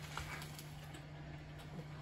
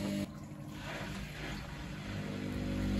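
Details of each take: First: Baumatic BDI1485D4E washer-dryer, a street find, on a 30-minute rapid wash with only rags inside and the water supply accidentally off: a quiet, steady low hum with no water sloshing, the drain pump running dry. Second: Baumatic BDI1485D4E integrated washer dryer on a test wash with only rags: even low drain pump hum with water gurgling as the drum empties, no rattles; drain pump working normally.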